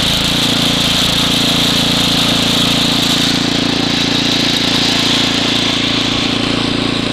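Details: Ariens ST724 snow blower throwing snow, started first pull cold; main jet slightly richened for cold. Steady, even single-cylinder drone holding speed under load, no surging or hunting; normal running under load.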